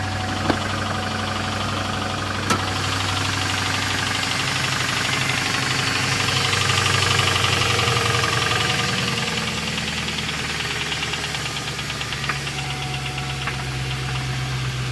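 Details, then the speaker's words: 2002 Lincoln LS petrol V8 at idle with a fast, fairly regular knocking rattle that eases slightly but returns on throttle. Owner is unsure whether it is rod or lifters; not confirmed. "all right so this is my O2 Lincoln LS it's making a weird noise I'm not sure if it's a rod or lifters"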